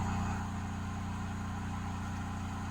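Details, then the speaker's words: Simplewater ECO12 12V 60 L/h desalinator in fresh-water rinse cycle, fresh-water pump at low pressure but enough to cross the membrane: even low drone, steady buzz, no surging or rattles. Normal running. "alors n'y a pas énormément de pression sur la pompe la pompe à eau douce mais elle va quand même suffire à traverser la membrane"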